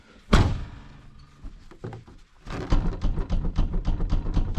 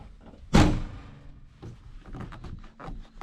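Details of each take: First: 2006 Hyundai Getz TB track car: heavy thunk, then fast, loose clattering knocks from the rear hatch; tailgate rattle because the rubber bump stops are wound in too far, fixed by adjusting them. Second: 2006 Hyundai Getz TB track car after fixing the rear hatch rattle by setting the rubber bump stops further out: one firm dull thunk as the hatch shuts and no rattle after it; the tailgate closes solidly.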